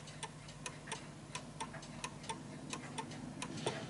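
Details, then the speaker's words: Vintage British Bentima/Perivale Art Deco 8-day mantel clock out of beat: ticks in a limping, uneven rhythm, long gap then short, because the clock sits off level; the pendulum eventually stops. "so it's ticking more than it's talking and the reason why it's doing that is because it's uneven and it will come to a stop hopefully for this demo"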